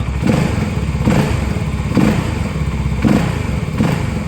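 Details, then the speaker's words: A CFMoto SR250 single-cylinder motorcycle idles with a deep, even exhaust thump after its cam chain tensioner was replaced with one 1 mm longer. The timing chain no longer rattles against the cylinder head. "现在换了这个新的胀紧器之后，我再着车听一下声音。哎，现在大家能听到的只有排气的声音，就没有响链哒哒打那个缸头"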